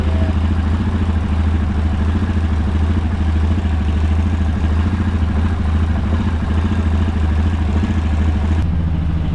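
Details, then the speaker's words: Yamaha Rhino 700 with a performance-rebuilt engine, first run after reassembly once excess fuel cleared, reading 126-130: loud, steady single-cylinder thump at a fast, even idle that needs adjusting down; runs cleanly, normal idle. "That sounds real good. Still think we'll have to adjust that idle down, or idle down just a little bit."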